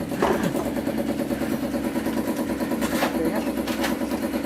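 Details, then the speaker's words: Honda BeAT FI scooter being kick-started, but the engine never fires; it cranks without starting, the MIL blinks, and earlier it stalled while riding; the cause was a broken crank sensor wire. "Nah iya diengkol dia tidak mau menyala ya"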